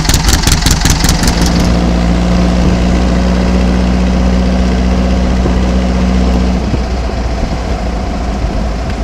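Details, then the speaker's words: Cold air-cooled 1800 flat-four with Kadron carbs, stock pushrods, 1 1/2 inch header and stinger exhaust: brief rev, then settled very low idle with steady low drone, no stumbling; much smoother after changes. "at a very low idle but can you just hear the sound how how much smoother it"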